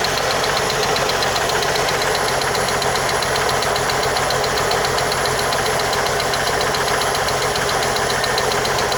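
Sharp, light ticking at roughly four per second rides steadily over the idle; a top-end tick with the source not yet pinned down.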